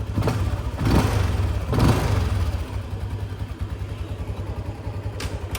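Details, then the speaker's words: LC V8 with a plug-and-play Kozi ECU that removes the rev cut-off: two sharp rev blips climb cleanly past the former limit with no stutter or cut-out, then drop back to a steady idle; revs freely. "Okay, ada gear tadi. Dia lebih daripada RPM. So settle masalah."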